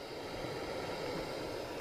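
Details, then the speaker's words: Hacker Sovereign 2 RP25A radio on batteries, aerial up, tuning with no stations found: only a steady even hiss from the amplifier that doesn't change with volume, bass and treble not working; dead front end, tape section suspected. "if i tune around no stations so i'm that's unusual bass and treble not working either but there is hiss from the amplifier"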